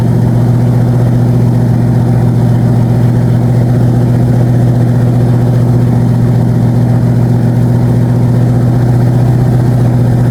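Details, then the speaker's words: Old-school V8 after camshaft replacement, 4th start: deep steady idle with a faint light tick at cam speed on the same side as before; valve train tick, owner suspects a heavier or bad valve spring. "That noise could have came and went, I don't know, but I heard the noise tick, tick, tick, tick, tick, start on that side again."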